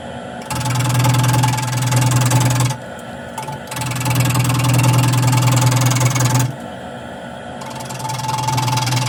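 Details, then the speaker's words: Wood lathe turning an off-center pedestal tray: whirring bursts with rapid uneven chatter as the tool cuts interrupted gaps between the corners of the piece. "That's what happens when you turn a lot of space. You get a lot of weird and unpleasant noises."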